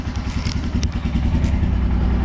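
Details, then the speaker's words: Royal Enfield Himalayan, fuel-injected, just fitted with a new AMCO Z9 battery after the old one couldn't start it following almost two years of service; it starts on one click. Steady, even single-cylinder idle thump with no knocks or ticks. Normal idle. "So after 1.5 hours of work, the bike is finally started. I'm quite happy for this."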